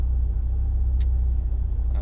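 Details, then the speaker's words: 2004 Subaru STi with EFR7670 turbo on EMtron tuning: steady low idle rumble with only a faint rise and fall, a stable idle per the logged lines; quiet mufflers let every engine noise through. "idle good and stable it's pretty good you see the uh the purple line there and the green line that is a pretty stable idle"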